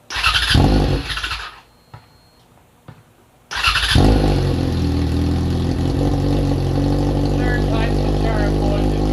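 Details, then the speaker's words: FZ6R with R6 front-end conversion, first start in about a year, in neutral on rear stand: short burst, pause, then engine catches into loud, steady, even idle; healthy start. "all right guys here we go firing it up for the first time in about a year we are neutral it's on the rear stand gonna be loud"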